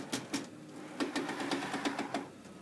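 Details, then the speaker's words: DTG garment printer running, sharp uneven clicks about three a second over a low motor hum, seemingly from the bottom belt; wheels checked and chrome rails cleaned, clicking persists. "I quote from this the bottom bell here and it's just sound like it's just clicking"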